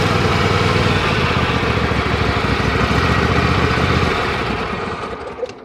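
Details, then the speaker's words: Craftsman PYT9000 riding mower (MTD-built), engine running: dry rough rattle starting as soon as the drive belt turns, before any hydro pedal input; worn tensioner or idler pulley bearing, not the transmission, exact pulley unconfirmed. "see that's just a pulley that's making that noise that's not the transmission usually it's a pulley back here"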